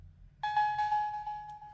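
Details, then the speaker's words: Reshelled Palkia Dialga DS Lite whose startup chime plays clean but noticeably flat, deep and "sick" sounding. "How low pitched that sounds? This is what it's supposed to sound like. Not low pitched like this. This sounds sick."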